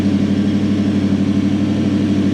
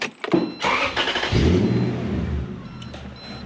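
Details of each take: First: Toyota Celsior/Lexus LS400 1UZ V8 after airflow meter wiring fixed, idle speed control had been blocked off and throttle stop wound up: steady fairly high idle hum that never drops down; idle speed control valve not working. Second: Toyota Celsior / Lexus LS400 1UZ-FE V8 after airflow meter and EFI fuse fixes, idle stepper motor reset by starting and switching off: cranks, catches, revs flare briefly then settle to a smooth steady idle; normal start flare.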